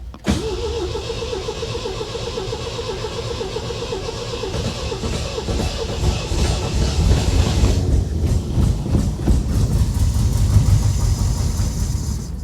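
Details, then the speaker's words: 1975 MGB bought at salvage auction, sat for 16 years, first start attempt using starting fluid: engine cranks, fires and runs roughly for several seconds, then the rhythm falters and it dies. It won't stay running; the fuel line is still to be traced. "she just won't stay running we got to figure this out guys it runs and that in and of itself that is huge"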